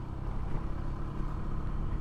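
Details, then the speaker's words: Honda PCX 160 after a warranty replacement of the rear shocks, which previously thudded over bumps, riding broken pavement: only steady engine and road rumble, no thuds or knocks from the rear suspension; fixed. "yo yah Hai itu udah nyaman ini udah udah nggak ada suara"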